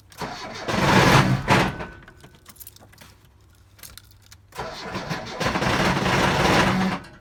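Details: ZAZ Slavuta: two cranking bursts that never catch, heavy uneven clunking under the starter; bottom-end knock. Later flywheel found wobbling with clutch basket; owner suspects a cracked crankshaft, not confirmed.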